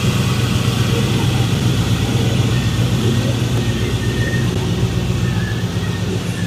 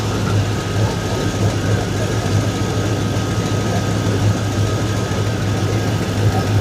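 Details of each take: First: 2002 Chevrolet Silverado V8, cold engine with an aggressive cam, after the Y-pipe V-band exhaust leak was fixed: deep, even rumble with a slight lumpy cam note, no ticking or chuffing; normal idle. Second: 2002 Chevrolet Silverado V8, just after transmission and Y-pipe exhaust install: deep idle with a puffing, ticking chuff on the rumble; exhaust leak around a V-band clamp that isn't seated all the way.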